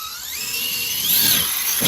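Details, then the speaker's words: Raminator RC truck with Vitavon SCX6 transmission, 70mm motor on 12s, Hobbywing Max4, 560kv, 25-tooth pinion, on slick wet ground: thin high gear whine rising with speed over light rattle, thump at a small bump; gear drive sounds normal, different from chain drive. "It definitely sounds different, doesn't it? You can hear the gears versus the chain and all that stuff."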